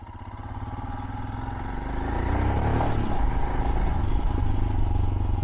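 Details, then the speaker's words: 2022 Royal Enfield Himalayan riding past; a steady single-cylinder thump grows louder and fades, with no knocks or rattles; normal exhaust note. "I have just a small clip of me riding by with one of these machines, so you can hear the exhaust and kind of see and hear it in action."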